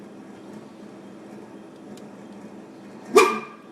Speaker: and for some reason the compressor is making the noise and it literally sounds like a dog